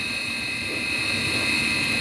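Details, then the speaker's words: Midea dishwasher wash motor freed after being stuck: constant high-pitched whine with hissing edge over the motor; worn wash motor bearing, greased, replacement proposed. "yes it is working but problem you know you can hear the noise the bearing noise already we have to discuss with the customer and if it is customer agree we can send back to the customer otherwise we have to replace the bearing"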